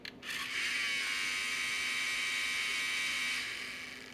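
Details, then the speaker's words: Sony MiniDisc MDS-E10 deck at power-on: a harsh, high grinding whir for about three seconds that then fades, suspected bad drive belt slipping in the mechanism; another part is also broken. "we've got that's broken also we got to fix that that's not a huge ordeal but more importantly it sounds like we got a bad belt"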